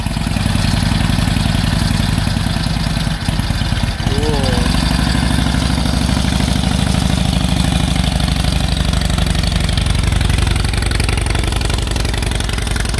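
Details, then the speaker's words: 1946 Indian Chief, original restored V-twin engine, first run after about 12 years in storage: deep, lumpy beat settles into a steady idle without misses or knocks; the old engine runs fine. "But glad we're here, glad the bike's running. Ran good, so maybe we'll walk around in a little bit."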